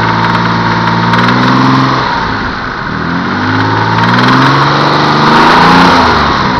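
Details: Mitsubishi 3000GT VR4 V6 knocking when revved, owner hears it from the front head and fears a spun bearing: rapid knocking about four a second rising and falling with revs as it is blipped; source unconfirmed.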